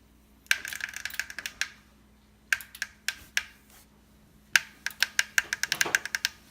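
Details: Tacx Vortex Smart trainer roller under pressure: sharp, irregular clicks in short bursts over a faint steady hum.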